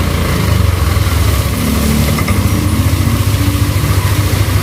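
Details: Yamaha Aerox scooter after repair of rough ticking noise, bearings replaced with originals after oil seizure damage: loud, smooth, even engine beat with steady low rumble, no knocks or rattles; engine healthy.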